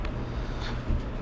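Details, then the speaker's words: Whirlpool Duet GEW9250PW1 electric dryer that would not start, after replacing the belt switch (279782), top panel off: low steady motor hum turning the drum, no squeal, thump or scrape; running normally. "and now our drum's rotating and we'll let it run here for a couple minutes and make sure we got"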